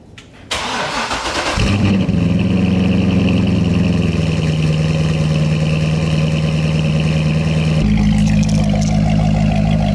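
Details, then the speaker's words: Chevrolet Corvette C6 V8 after installing AMT Vulcan motor mounts, reconnecting cats, spark plugs and exhaust clamp: starter whirs, engine catches and settles into a deep, steady, even idle with no knocks or misses; running well. "Everything sounds good. Everything's running good."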